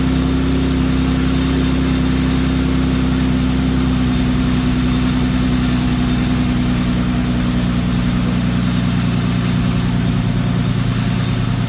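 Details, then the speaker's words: Infiniti G37x AWD just after starter replacement: starts right up and settles to a smooth, even idle with a steady low rumble, no misses or knocks; normal idle. "As you see, it worked. I knew it was the starter. Look, it just started right up."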